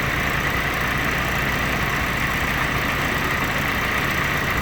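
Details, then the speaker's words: Willys jeep L134 engine at idle with the distributor rotated clockwise, ignition timing set very advanced. It runs faster but uneven, with frequent irregular pops and spits in a loud, busy note. Over-advanced ignition timing. "hear it running faster, and then it's starting to pop. You can hear it's popping a lot now. So this is very advanced."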